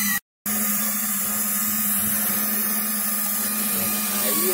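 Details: Ford F-250 idling with a misfire and lean codes, pressure-cooker-like hiss: constant airy hiss over a steady low hum, confirmed with carb cleaner spray as a vacuum leak at the rear hose; covering it by hand smooths the engine.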